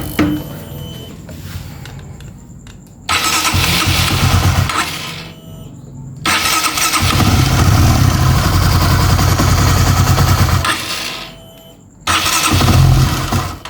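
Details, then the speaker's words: Honda CB150R (2016 or 2017, LED model), after repair of a ticking noise from the camshaft area with the engine reassembled: fires up in short revs and drops back to an even, steady beat, no ticking, now smooth. Normal running. "Ini udah kita pasang udah kita coba tes nyala kalau mau mendengar suaranya kita hidupkan dari sebelum dan sesudah ya kengaran Ya beda dari sebelumnya sekarang udah halus"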